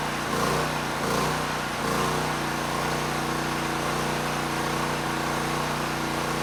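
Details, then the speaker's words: ETQ generator that sat unused for years, broken fuel valve, air box cover missing: engine speed rises and sags every second or so, needing full choke to run; carburetor suspected, not confirmed. "now the carburetor i mean it it runs the engine but it was struggling i did have to put the choke on at least as far as it would go to keep the engine running and after about 30 seconds i could turn it off but the engine speed was unsteady"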